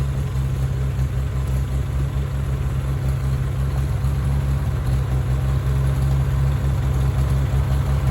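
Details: Farmall tractor (1949 H or 1968 656) being sorted for fuel issues and cutting out, at a deep, even idle with no misfires or surging after carburetor adjustment; it had barely run over 30 seconds before. Owner plans a fluid flush and fuel tank work. Normal idle.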